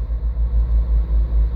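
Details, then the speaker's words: Parked car with petrol engine idling fast, steady low hum held near 2000–2500 rpm and not dropping even after blipping; suspected faulty idle air control (stepper) valve. "mostrou que agora como é que o carro está bom humor que liga o painel para vocês verem a rotação ao metal a quase 2 mil giros isso mais parados em geral acelerar ó ó mais a alteração não cai"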